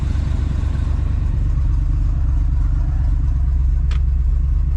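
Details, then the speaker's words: 1968 Oldsmobile 442 V8 with 4-speed manual, fired right up easily before restoration: a deep, loud, rough-edged idle with a loose pulse. The engine sounds fine, but the worn exhaust needs complete replacement. "It sounds good, other than the exhaust. Definitely needs a complete."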